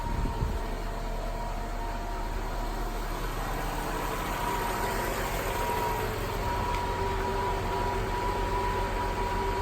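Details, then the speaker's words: 2000 Mercedes-Benz S430 W220 Airmatic (not 4Matic, not ABC) after front left strut replacement: steady engine idle with faint even electric compressor hum as level button raises car; suspension pump inflating strut normally. "here filling up the stuff bit by bit and is starting to go up now yes it's all set up put it at the right level"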